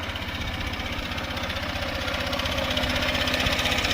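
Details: 2023 Honda CB125F single after a cylinder head repair with Threebond silicone, idling after a 128 km ride: an even, quick top-end tick about four a second over the exhaust beat; owner plans a valve check, cause unconfirmed.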